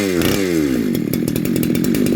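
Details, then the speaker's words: Neo-tec NH872 chainsaw (372XP clone), big bore kit, first start, warm day about 31°C: saw drops from high revs to a crisp, steady idle with an even rapid beat, a bit noisy but running healthy. "bit noisy but yeah that sounds good happy with that"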